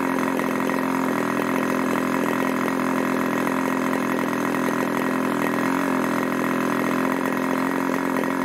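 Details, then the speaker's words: 1980s Irvine 40 MkII ABC glow engine with 10x6 prop and 7% nitro fuel, after the rich low-speed needle and the high-speed needle were adjusted: a steady, even note; the idle held about 2,600 rpm with slight variation and a deep burble. It runs beautifully. "but it ran beautifully and it held a lovely eyelet about it was about 2,600 rpm a little bit of variation but it was quite nice and steady"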